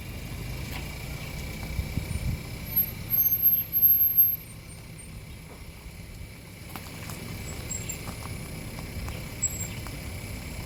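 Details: Audi A3 rolling slowly: short, thin high-pitched chirps in bursts over low road rumble from the rear; rear squeak, source not identified.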